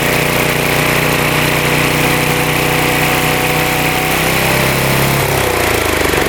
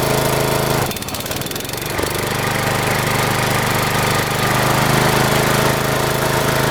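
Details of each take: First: Mower after idle adjust set all the way out for higher RPM: loud, steady run at higher speed, note dipping slightly near the end as blades engage; blades spinning faster, sounds healthy. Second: Mower, sat unused over a year, starting then engaging blades: slow, lazy chug, pitch shifts as blades engage; RPMs not up very high, owner suspects engine too slow to spin blades fast enough to cut.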